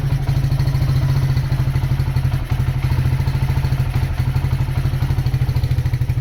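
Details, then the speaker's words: Honda GL100 CDI before rebuild, low compression, weak power, erratic carburetor, smoking: single-cylinder at fast steady idle with loose metallic rattle over the firing beat; the loudest noise is the clutch. "Nah, itu suara mesinnya. Ee yang paling kedengar itu suara berisik dari kopling ya. Kemudian karbo juga sudah saya bilang ngacau, terus ngebul juga."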